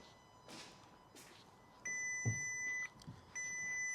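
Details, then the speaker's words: Crash-damaged 2023 VW Taigo being rebuilt, first start after engine refit: two steady high electronic chimes about a second long in a quiet cabin, warnings that ABS, stability control and lane assist are unavailable. "error ABS stability control Lane assist currently unavailable"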